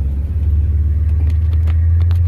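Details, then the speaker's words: Holley EFI truck after idle air control hold-position tuning, pulling away in gear: deep, steady exhaust rumble with no IAC whistle over it. Normal running. "you can definitely hear the exhaust still but minimal noise from the iac now"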